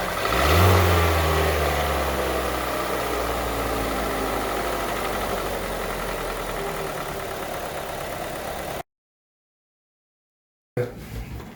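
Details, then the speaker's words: Kia Seltos petrol engine with 18,000 miles, dealer-serviced oil changes, burning about a quart of oil in two days, started and idling: dull, uneven knocking underneath; engine began knocking under 10k miles, subject of a Kia engine recall. "okay i'm fixing to start this thing up so you can hear the engine knock keep in mind 18 000 miles fixing to get a shot of the odometer to prove it"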